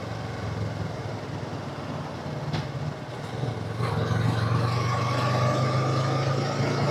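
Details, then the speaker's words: Yamaha YZF R3 on its refitted stock pipe, riding: smooth twin drone climbing steadily through the gears, no pops or crackles on the overrun. Much quieter than before, mostly engine noise now, and the earlier backfire on gear changes is gone. "Wala nang pabomba nito guys. Tahimik na eh."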